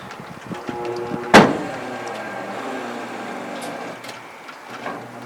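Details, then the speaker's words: 1966 Ford Thunderbird power window motor bench-tested on direct power, window driven down: a bang, then a labouring motor hum with scraping as the glass creeps; window seems a little stuck and binding, straining the motor. "Let's see, it's sort of forcing a little bit."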